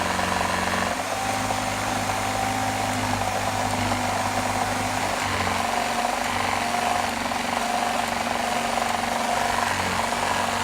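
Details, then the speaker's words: Gtech AirRam K9 cordless vacuum with temperamental switch and battery issues: steady hum with coarse rattle and rumble from the motor, always present and progressively worse; rough, likely failing motor. "take note of the odd noise - rumbling / rattling coming from the motor - this has always been present and has gotten progressively worse..."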